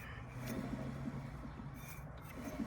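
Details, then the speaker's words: 1972 VW Super Beetle after the fan-to-shroud gap was pried wider, the backing plate painted and the clamp tightened: low, even fan hum with no clanging or banging against the shroud; the cooling fan now runs clear. "no more fan shroud noise before it was like clanging or banging against the Shroud"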